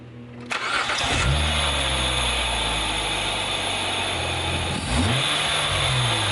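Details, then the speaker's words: 2004 Hyundai Tiburon GT, about 80,000 miles, just fitted with a budget eBay air intake pulling hot engine-bay air: cranks, catches quickly, settles into steady even idle with slightly more intake rush, no knocks. Normal start and idle. "Alright, well, I'd say all in all for $50, not too bad. We got a little bit of a sound difference there."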